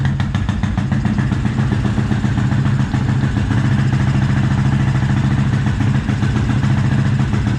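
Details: 2004 Suzuki LTZ250 single-cylinder quad, battery charging at 14.8 V, smoking heavily: even, rapid thump at a fairly high idle, no stumbling or dying; normal fast idle.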